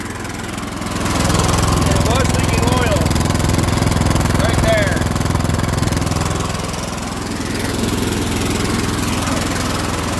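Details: Cub Cadet LT1045 yard tractor, Kohler Courage 20 twin, about 500 hours, just after valve cover gasket replacement and valve lash adjustment. Steady low drone with an even beat that swells slightly and settles, no ticking or misfire; running normally.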